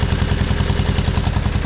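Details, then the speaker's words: John Deere 420 with Onan twin, warm after driving. Lopsided, chuffing idle with only one cylinder firing: a dead-cylinder misfire. Pulling a plug wire made no change. "Now I want you to notice something. You hear anything missing? I do. Now I knew this when I bought it, because when we got it running"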